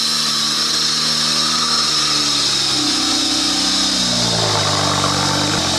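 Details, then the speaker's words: BMW E92 335is on a test drive after airbag and steering wheel work: loud, constant high whine and hiss over the engine, with tones climbing as revs rise; owner suspects belt or pulleys, cause unknown. "why does it sound like this well you might want to turn it off either the Bell to the pulleys or something is just you know bad"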